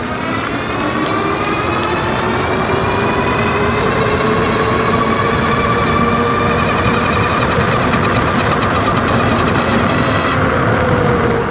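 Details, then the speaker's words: Wallke H7 AWD e-bike, 48V 40Ah battery, 1000W rear and 750W front geared hub motors, mic near front wheel: steady wavering whine rising with speed at full throttle, high speed; seemingly absent in PAS 4. "all right so you can hear there with the microphone down below hopefully a little bit better the w w noise it was making now that's usually when it's full throttle getting up to high speeds"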